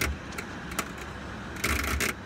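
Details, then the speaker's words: HVAC blower running after a blown fuse, 1.6 amps; harsh irregular rattling over the steady blower rush inside the blower compartment; an unconnected wire was found, tip not chewed, cause of the rattle uncertain. "twice so this wire I didn't notice it earlier but this wire is not connected to anything and the tip of it is not chewed up where that would have been bounced into the blower cavity or blower wheel but I'm not [Music] sure why I would get that awful noise"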